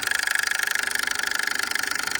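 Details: Small generator engine on an abandoned 1977 Winnebago Chieftain after priming the fuel: fast, even chuffing with a thin raspy edge. It is turning but not running cleanly, cause unconfirmed.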